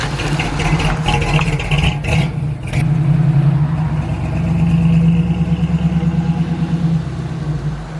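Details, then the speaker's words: Flood-damaged 1979 Chevrolet Camaro Z28 V8 after a short drive, not yet at operating temperature: brief blip and door clunk, then deep even idle with steady lope; good running car, normal idle. "So my general impression, good running little car, stiff, which is not surprising for one of these."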